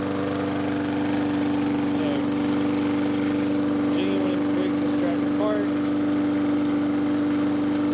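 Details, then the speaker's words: Briggs & Stratton engine on a push mower after fitting a new Lo-Tone muffler, part 394569S: steady, even, muffled drone at constant speed, much quieter than the earlier helicopter-like sound without a muffler; normal running with quiet exhaust. "It doesn't sound like a helicopter flying through anymore, but I hope that gives you guys a little bit of information on what that muffler accomplishes with the sound leve"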